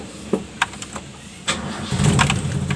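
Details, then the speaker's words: Toyota Kijang after replacing the emission control module IC, carburetor solenoid circuit: a few clicks, short crank, engine catches and settles into an even, steady idle. Normal start and idle. "Alhamdulillah mobil bisa stasioner ya sekarang setelah kita mengganti IC nya"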